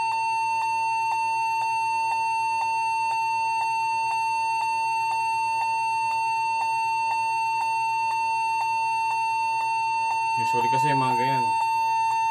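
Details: Lenovo G40-80 (80KY) laptop during Windows install attempt: steady high beep drones without a break, faint regular ticks behind it; continuous long beep at power-on, suspected memory, keyboard or hard drive, cause unconfirmed.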